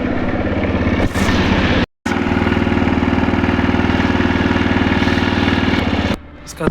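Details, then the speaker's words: TVS Raider motorcycle idling: a rough, clattering knock over the exhaust beat, from a very loose timing chain found after removing the head cover. "इसका timing चैन दिखा देता हूं। Loose है। बहुत ज्यादा loose है।"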